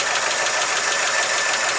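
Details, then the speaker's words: 1959 Chevy truck idling after exhaust manifold gasket replacement: fast even light sewing-machine-like ticking over a smooth idle, no puffing or leak noise; owner says it always sounds like this, oil maybe a little low; normal. "that's just normal it always sounds like something like sewing machine"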